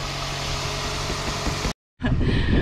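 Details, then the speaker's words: 2003 Toyota Echo that was missing and lagging, after new ignition coils (new spark plugs fitted earlier); check engine light still on: steady, even idle with no misses; normal idle. "that sounds better to me yeah yeah it do never miss"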